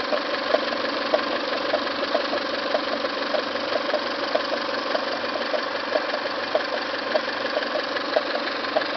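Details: Toyota 5S-FE petrol engine idling with a light, regular tick about one and a half a second from the timing belt/water pump end; upper timing cover removed, source still unknown, lower cover next.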